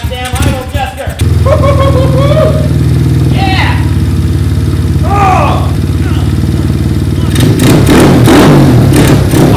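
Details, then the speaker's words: Freshly built Kawasaki KLX 110 idling indoors in cold weather (ten below outside): loud, even single-cylinder thump with steady firing and throttle blips, no knocks or misses; ran through all gears fine, needs only minimal tune; normal idle. "one that makes me happy it's running Wallace ran it through all the gears everything's all good"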